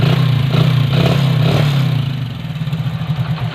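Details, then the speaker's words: Hero Splendor after simple fix for kick slipping: engine catches and revs, then settles into a fairly even idle thump with no slipping clatter; healthy running. "இப்போ நம்மளுக்கு kicker slip ஆகலை. இப்போ okay இப்போ key நம்ம on பண்ணால் வண்டி பக்காவாக start ஆகிடும்."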